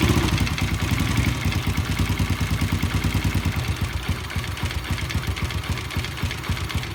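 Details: Yamaha Jupiter Z motorcycle engine: loud, uneven clattering knock at roughly two per second over a rough idle, caused by a worn, loose connecting rod; fix is replacing the rod, with original crankshaft bearings.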